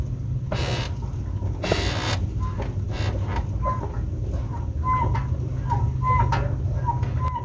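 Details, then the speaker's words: 2008–2012 Ford Escape 2.5 L two-wheel drive, exhaust collector joint already sprayed to quiet it: short high-pitched chirps about once a second over low engine hum, worst pulling off in drive; gasket replacement planned; exhaust squeak. "You can hear it a little bit, but it was freaking awful. Um, when you start out in this thing, uh, shift gears into drive and start out, it it would squeak real good."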